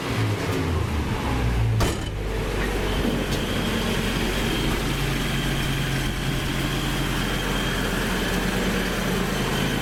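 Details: Toyota Hilux with points-replacement ignition, coil resistor bypassed: steady low rumble, even beat, no knocks or misses, idling smoothly on its own; healthy.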